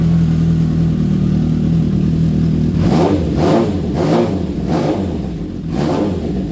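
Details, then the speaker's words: Honda CB750 cafe racer after carburetor rebuild and new spark units, not yet warmed up: smooth idle then quick, clean, even throttle blips with no misfire or popping; engine runs healthy. "Well, she's back. She runs. You heard it first. And just a bit of tidying up to do, honestly."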